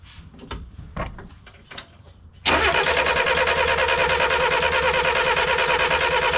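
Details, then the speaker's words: 1988 Ford Festiva after 13 years sitting, just converted to a Weber carburetor, choke acting oddly: starter cranks steadily about three beats a second but never catches; spark shown, cause of no start unknown. "and now it's not kicking oh god why why what in the hell is the problem everything is routed properly"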